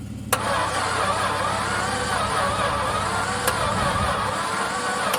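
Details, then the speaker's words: VJ Dodge ute engine, long stored and believed stuck, with oil in it, cranking after battery boost: rough, uneven churning on the starter for five seconds without catching; harsh cranking. "I must admit, she doesn't sound very pleasant. One of the worst ones I've heard turn over in a long time."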